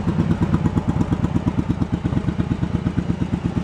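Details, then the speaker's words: Yamaha Virago 1100 V-twin after carb rebuild, during carb sync on mercury gauges: lopey, uneven idle with one strong and one weaker beat per cycle, one cylinder pulling harder; throttle balance adjustment needed. "you see one's pulling harder than the other. It's still favoring that one cylinder all the time, so hopefully all that'll kind of come together once I tweak them."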